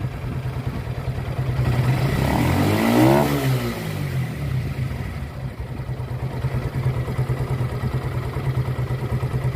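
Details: Suzuki Gixxer single-cylinder after engine sound repair, ridden only 2-3 km: runs steadily, blips up and settles back, with light top-end ticking. Valve clearance is to be set after 400-500 km; normal running.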